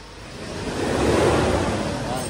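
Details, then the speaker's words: Hyundai H-100 / Grand Starex Euro 4 diesel, 154,000 mileage, after replacing two fuel injectors and a turbo cleaning (had heavy black smoke on acceleration): the engine revs up and settles back smoothly with no stumble or misfire. "Ayan sobrang tining na ng andar. Papakita ko sa inyo. Dalawang fuel injector yung pinalitan natin diyan mga bossing."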